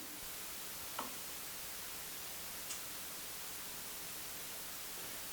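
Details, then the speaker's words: Audio system demo with a dimmable-lamp noise source: console plugged into the same noisy ground as the noise maker gives only faint steady hiss and a few ticks, no hum; the noise is still there, but with no ground loop it is not heard. "It's still making the same amount of noise, but we don't hear it because we don't have a ground loop. Everything's plugged into the same noisy ground source."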